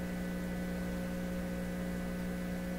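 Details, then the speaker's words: PYE 39HC shortwave broadcast valve receiver on the bench fed a 1 kHz modulated signal: constant low buzzing hum under the tone; mains hum suspected from connected two-prong test equipment and poor grounding, not confirmed. "a little bit of volume doesn't that sound terrible what's with the hum so the hum could be because of any of this equipment I've got connected"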